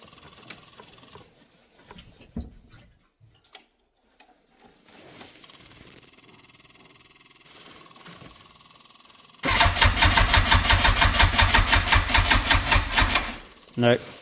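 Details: Yamaha FZR1000 Genesis, long stored in a farm unit, cranking without a jump box after the fuel was turned on and the ignition cycled. Sluggish chug of about five strokes a second that never catches; jump box needed afterward.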